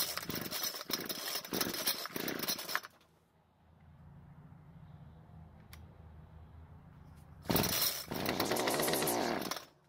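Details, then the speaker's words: Homelite string trimmer, given away as a non-starter: a few pull-start rasps, then it catches at a high buzz for about two seconds and dies. Starts then stalls; owner assumes flooding, unconfirmed. "luckily the engine started and ran for a second, and even though I could choke the carb and try that again, I'm going to assume the engine is flooded."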